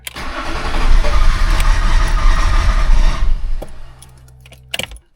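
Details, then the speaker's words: BMW E34 TDS diesel, first service in over ten years, fuel filter left empty: engine catches, runs roughly a few seconds, then dies from fuel starvation. "Yeah, because the fuel filter was completely empty and we had nothing to fill it with. The engine has fuel starvation right now"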